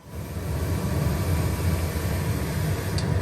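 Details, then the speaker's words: TEAC A-4010S reel-to-reel, left channel, after replacing small capacitors: steady hiss with low hum and no program material. Noise remains, present on tape playback rather than the source, so it is in the playback section; cause unknown. "so it's a little hard to say if these will in fact resolve that noise issue so let's go find out well so far that made no difference unfortunately"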